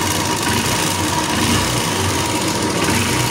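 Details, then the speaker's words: Honda Invicta CB150 single-cylinder, before repair: busy mechanical clatter over a fast, uneven idle, loud with vibration when riding; cam chain and rockers suspected, top-end wear from lubrication failure points to worn rockers. "Al parecer, el problema está en lo que es su cadenilla y sus balancines. Vamos entonces a hacer el desensamble de esta parte y revisamos."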